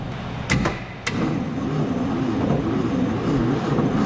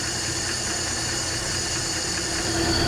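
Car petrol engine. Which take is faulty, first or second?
first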